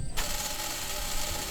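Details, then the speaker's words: 1927 Ford Model T, key switched to battery when starting: a steady, high electrical buzz that starts suddenly and holds an even pitch; the coils buzzing normally. "Hear the coils buzz."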